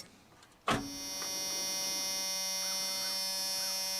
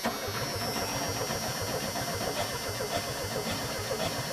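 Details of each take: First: Junkyard Chevrolet S10 pickup with borrowed battery: click at key-on, then steady high-pitched electric whir holding constant; fuel pump priming, pump works. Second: Junkyard Chevrolet S10 pickup with borrowed battery, fuel pump working: steady starter cranking at about four turns a second that never catches; engine spins freely but no start, no spark.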